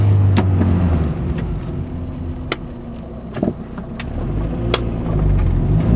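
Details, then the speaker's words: 1991 Honda Accord on a cold day: sharp single pops each time the throttle is jolted or during hard acceleration, heard from the driver-side front wheel well; cause unknown. "It's that pop. See, there it is again. Yep, that's it. Just when I give it a jolt of gas."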